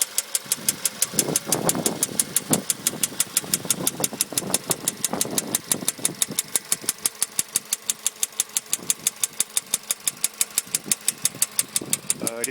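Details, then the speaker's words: VW Polo sedan 2013, CFNA 1.6, warm idle, about 28,500 km, pistons replaced under warranty at 27,500 km, knock appeared 75 km later: sharp evenly spaced metallic tapping, several a second; internal knock of unknown cause. "двигатель у меня уже прогретый и уже сейчас слышен этот стук тук вот такого плана"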